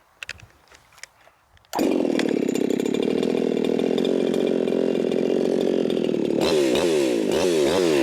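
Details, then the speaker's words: Ported, high-revving chainsaw tuned to 14,800 rpm, cutting wood: it screams at a steady, even high pitch through the cut without bogging or surging. The lean tune pulls cleanly. "right now it's tuned to 14,800 RPM. Normally I would be like, oh my God, that is way too lean. But this is ported up, it's a high revving saw and it's doing good."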